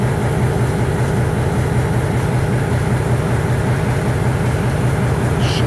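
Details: EMD MP15 switcher locomotive, cold start on second unit: heavy diesel turns over slow and labouring before catching into a rough low rumble with smoke; hard start from weak batteries.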